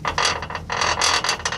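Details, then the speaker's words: 2015 Toyota 4Runner with Icon Stage 1 lift and 3" rear springs: quick bursts of light metallic rattling over small road vibrations because the springs aren't fully compressed at the top, worse on one side; track bar also contacts the KDSS sway bar bracket. "so the Springs aren't fully compressed here at the top and what's what's happening is is when you go over little little bumps in the road that make your car vibrate"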